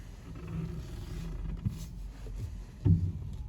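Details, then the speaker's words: Seat Ibiza FR, 70,000 miles, dry steering while stationary: low heavy creaking, then a single metal-on-metal clunk each way as the wheel turns; cause found to be a snapped suspension spring, replaced. "there you go big clunk that time a lot of creaking as we go back you'll have it clunk the other way"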